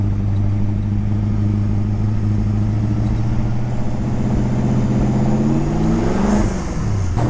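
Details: Ford XF Falcon ute 351 Cleveland V8, donor car just revived, started a bit cold: steady drone sagging and stumbling at wide-open throttle, then picking up slightly; bog at full throttle, owner suspects fuel, possibly a faulty coil.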